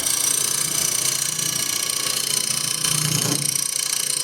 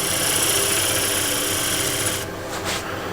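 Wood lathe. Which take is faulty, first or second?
first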